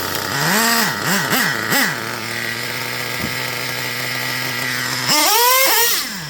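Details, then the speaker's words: Traxxas Revo 3.3 nitro RC truck with high-speed needle leaned one full turn: very fast blips, revs snapping instantly to a high scream, two-speed shift barely heard; running lean on the top end. "Did y'all notice the difference between how quick it accelerated? Like you almost can't even hear it shift. It's revving up so quick. Like it's real snappy."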